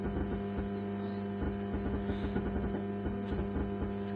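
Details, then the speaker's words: 65-watt amplifier with a newly fitted board, faulty ever since: a constant low hum sits under the music, and playback turns rough and distorted as the volume rises. The amplifier is adding unwanted noise. "तो देखिए ऐसे आवाज़ आती रहती है आवाज़ के साथ में ऐसे गाना बजाता है तू गाने के साथ-साथ ऐसी आवाज़ आती रहती है"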